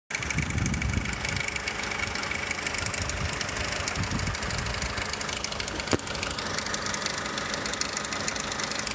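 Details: 2002 Nissan X-Trail petrol engine idling warm, fine busy metallic rattle over a steady hum that only appears after about 20 minutes of driving; owner suspects timing chain, unconfirmed.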